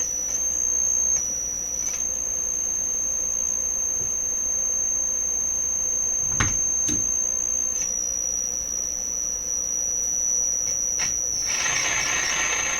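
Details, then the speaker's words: Deforest 10DA517 AM radio running on under 100 supply volts: a piercing, steady high-pitched howl rings almost unbroken, stepping slightly in level, from the audio stage; cause still being traced by elimination. "So the radio is running on less than 100 supply volts. Wow, that's an ear piercer."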